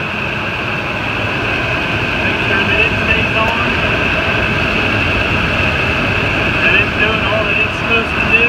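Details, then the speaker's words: 2008 Ford F-250 running after serpentine belt tensioner replacement: steady engine with faint constant belt-drive whir; the earlier growling is gone. "I don't hear the growling noise that I heard the warning and seconds just motor well this is nonsense [Music] look good running good that was successful"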